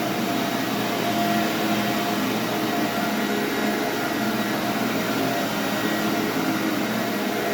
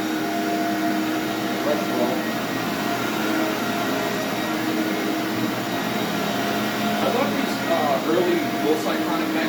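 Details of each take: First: SC Johnson Vectron (Iona) vacuum, originally a commercial machine, first power-up after unboxing: smooth steady high whir with no rattle or wavering, Ametek-style Phantom sound; possibly the original motor, running normally. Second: SC Johnson Vectron (Iona) vacuum with roughly 20-year-old motor and beater-bar brush roll: steady motor hum with a rough whirr from the brush roll; motor sounds good, owner suspects brush roll bearings.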